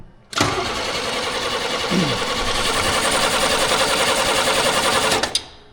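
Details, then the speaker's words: 1938 International pickup with a small 28 engine, spark confirmed: the starter churns steadily about five seconds with no catch; it cranks but won't fire, and the owner suspects something stuck and no compression. "well that's strange everything works other then uh I don't know it's given there the beans I wouldn't imagine a 28 wants that much fuel something stuck and we got no compression"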